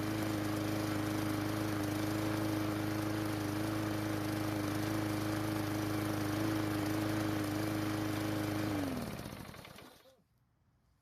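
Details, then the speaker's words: Murray lawn mower single-cylinder after carburetor replacement (old carb shed debris and clogged), with dirty air filter and old spark plug possibly making it run slightly off: steady even drone about nine seconds then stops; normal running. "it starts and runs but the dirty air filter and the old spark plug might be causing it to run just a little bit off the good news is that it did not shut off on me when I was using it later on so our repair worked"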